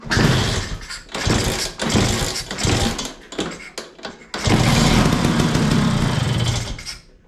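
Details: LML/Vespa hybrid scooter, newly got spark, kicked with easy start and more fuel poured in: short uneven bursts, then one ragged run of a couple of seconds before dying; catches but won't keep running, cause unconfirmed.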